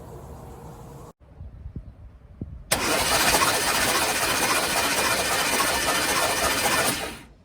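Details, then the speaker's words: 1971 Cadillac Coupe de Ville, sat 15 years in a backyard, cranking on a new starter with spark plugs out and WD-40 and lubricant in the cylinders: fast, even whirring with no compression pulses, flushing lubricant and rust off the cylinder walls. "so now uh what i'll do is i will um start the car with the plugs out and i do have like i mentioned i have wd-40 and some lubricants sprayed down the cylinders with the plugs are out"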